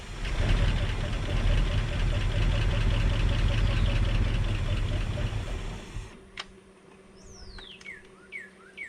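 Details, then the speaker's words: Ford F-350 sat 5-6 years, on a low substitute battery after priming with fuel: sluggish, laboured cranking at about four turns a second that never catches, then stops; too slow, owner thinks it flooded. "It just wasn't fast enough. Still not fast enough."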